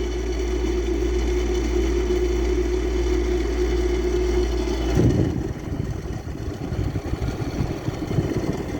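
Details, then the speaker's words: Old Frigidaire air conditioner blowing 44°F air, fan speeds barely differ and owner suspects bad fan motor bearings: loud, steady low drone with rough pulsing hum that shifts partway, shaking the wall. "It's just shaking the wall."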